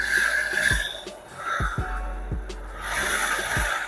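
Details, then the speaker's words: Thai two-stroke "pop" motorbike revived after long storage, fresh premix: uneven running with irregular knocking clatter over the exhaust buzz; loose, likely heavily scored piston slapping, plus slightly noisy crank bearings. "เออก็เงียบกว่าสตาร์ทตอนแรกอยู่นะครับผมนะครับผมเพราะว่าลูกมันหลวมเนี่ยมันต้องเบิ้ลนิดนึงอ่ะลูกน่าจะลายเยอะอ่ะแต่ว่ามันก็ใช้ได้อยู่นะใช้ไปก่อน"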